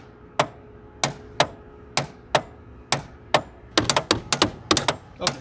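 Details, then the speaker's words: Pontiac Fiero lowrider hydraulics: four large starter-type solenoids at the rear click sharply, spacing quickening into rapid bursts regardless of which switch is hit; pump motor not running properly. "all of a sudden we started getting some clicking from back here there are four really big starter solenoids they look like um just clicking away no matter which switch i hit"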